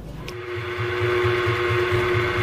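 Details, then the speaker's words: Rebuilt donkey water pump with new crankset, motor refitted and running, no oil added yet: even motor hum with a steady stroke pulse about four times a second, no knocking or rattle; runs normally. "तो दोस्तों जैसा कि इस pump पे इसकी motor को fit कर दिया गया है और इसे चलाया जा रहा है, और आप देख सकते हैं इसमें किसी तरह की कोई आवाज नहीं है,"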